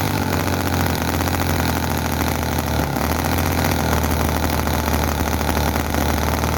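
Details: Chinese commercial model V-twin engine, possibly the Cison FG-VT9 9cc or Microcosm R28 4.3cc, with oil in the crankcase. Loud, fast, uneven buzz that won't run slow, with explosions and oil coming out; fuel tank suspected inadequate.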